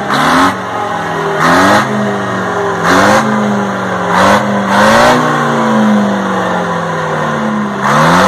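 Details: 1960 Detroit 4-71 two-stroke diesel, ex-generator engine said to have only test hours: a strong, even drone that climbs and falls cleanly with each throttle blip, no knocks or misses; owner notes a little smoke at low rpm.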